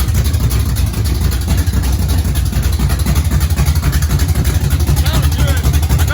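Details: Race car engine idling, not yet up to temperature, no cooling fan fitted: loud lumpy idle with a steady beat of about four pulses a second, no knocks or misses; engine idles fine.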